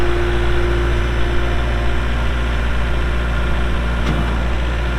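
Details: 2023 Kubota L4701 4WD gear-drive tractor, 47 hp diesel, 98 hours, started for an operational demo: a steady low diesel rumble settles into an even idle with no knocks or misses; sounds healthy.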